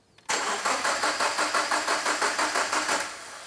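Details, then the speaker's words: Subaru with freshly rebuilt STI EJ20 short block just reinstalled, cranking without firing before first start: even starter cranking with steady compression pulses about three a second, no knocks or scrapes; normal cranking. "just crank it see what it does sounds good so far"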